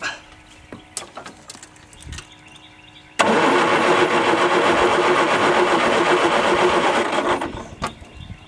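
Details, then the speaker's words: Old Ford skid steer after new ignition switch installed, fuel pump working: steady even starter drone turns the motor about four seconds without firing; cranks but appears to have no spark. "the starter is turning over which means that the the motor is turning that is good sign but it does not appear that I'm getting spark"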